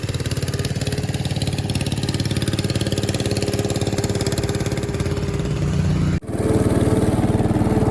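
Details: 1968 Bolens Husky 775 Husky Pup lawn tractor, restored and swapped to a Hatz 1B30 V diesel, mowing: regular, firm pulsing staying even as the deck works, brief drop near the end, normal running under load.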